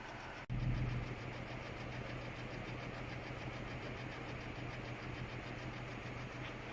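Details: 2007 Saturn Vue idle misfire, codes P0304, P0300, P0302; plugs replaced, coils swapped, compression and fuel pressure good, #4 spark fine; steady low idle with uneven, stumbling, missing beat; cause: bad #4 fuel injector.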